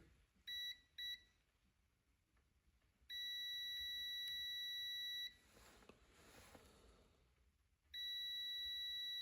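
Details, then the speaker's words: JZX100 1JZ-GTE non-VVTi with Link G4X PNP ECU on bench, engine fan auxiliary output: two short high beeps then long steady continuity tones continuing after switch-off, with an odd reading of about 21; output appears still grounded, cause unclear. "I take it off and it's still beeping and then it reads like 21 molts or something weird, bro."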